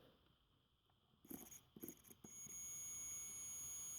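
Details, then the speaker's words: Stanley-type jump starter battery box, multimeter continuity test across its switch in the on position: faint probe clicks, then a steady high beep, so the switch is good; fault suspected in one of the cables or the ground cable. "We hear the beep. So that means that there's something wrong in the cables, either this one or the ground one. Phew, at least my switch is good, man."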